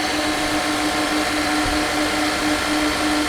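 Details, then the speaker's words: 1996 Mercedes-Benz S420 V8 idling with huge intake vacuum leak and air pump running: fast idle with steady whirring pump tone; idle stays high from the air leak, then eventually comes down. "oh it's coming down I think the idle speed maybe not no idle is still not coming down so because of the air Lea"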